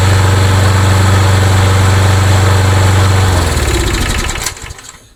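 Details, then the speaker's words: Craftsman mower, single-cylinder engine with a hard-start issue, after priming: steady, even beat about four pulses a second, then shuts off and fades; runs normally, carburetor to be checked for starting. "But the good news is the good news is it runs just fine."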